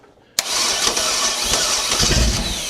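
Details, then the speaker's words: 1969 Chevy 327 small-block V8 after oil priming, with fuel poured down the carburetor throat: silence, then a sharp catch and rough, busy running; normal start. "Ah, this engine runs. That's a lot. That was that was a good bit of fuel there."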